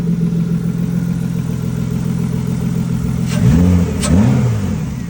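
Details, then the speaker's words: BMW E36 previously crank-no-start from suspected EWS immobilizer issue, now running after ECU swap and main and fuel pump relay replacement; steady low hum then two rev blips, nothing alarming. Normal running. "I don't know what the noise is. It's motor stuff. It's just running."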